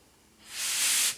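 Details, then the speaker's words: Cheap paint spray gun with thinner in the cup and air connected: short hard hiss with faint pulsing bubbling as air leaks past the misaligned air orifice piece under the air cap, which seals outer side first; air leak into fluid path. "see the bubbles pulsing. See, that is air leak into the fluid path."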